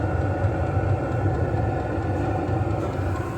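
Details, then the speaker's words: 12V HCalory diesel heater in an off-grid container cabin, restarted after error code 10: steady low exhaust rumble from the muffler with intake, fan and fuel pump audible, no knocks or surging; normal running. "And it's putting out hot air out the muffler here. You can hear the intake, hear the fan, hear the fuel pump, can hear the uh"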